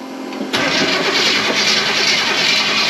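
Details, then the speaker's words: Supercharged V8 Chevy C10, in neutral, after the fuel pump suddenly shut off (suspected fuse or ground problem): starter cranks with uneven churning, no cylinder catches; crank-no-start with no spark despite distributor plugged in and plenty of fuel. "Come on, baby. It's not getting any spark. You have everything plugged in?"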